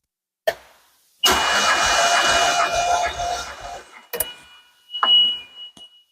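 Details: 1981 DeLorean, 4,690 miles, sitting 27 years, during compression test (roughly 140-170 psi across six cylinders): even starter whir for about three seconds with steady cranking rhythm; normal cranking.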